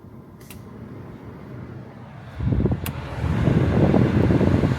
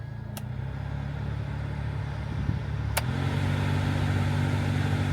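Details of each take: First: Toyota FJ Cruiser blower motor running after removing a tree nut that caused the fan noise; quiet at first, then a smooth steady rush of air building with fan speed, no rattle or ticking, healthy. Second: Toyota FJ Cruiser AC blower motor, fan on; steady hum with faint rhythmic flutter, owner suspects debris in the blower, about to remove and clean it.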